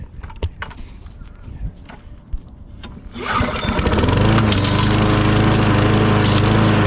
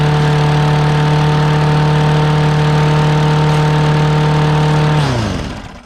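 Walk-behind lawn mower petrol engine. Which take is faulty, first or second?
second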